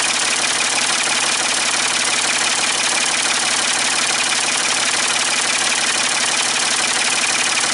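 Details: Ford 550 TLB backhoe, 3-cylinder diesel, after reassembly and injector fuel bleeding, cool day: steady, even idle clatter with smooth unchanging beat, no misses or knocks; running cleanly, only a small injector return-line drip.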